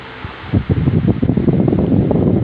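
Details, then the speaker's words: Stand fan that previously would not spin and made noise, now running after its bearing was replaced: spins up and settles into a steady low whoosh with a soft, even flutter. It runs normally. "Yeah, alhamdulillah, it's working fine. Yeah, it's moving also fine. So just I have changed this bearing."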